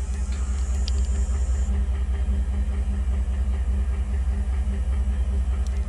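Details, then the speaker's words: 2014 Ford F-150 XLT 4x4 with 5.0L V8, heard at the exhaust at idle: deep, even burble with a steady beat and no skips or stumbles; no obvious misfire. "checking out of the engine to see how it sounds really good to me no unusual noises"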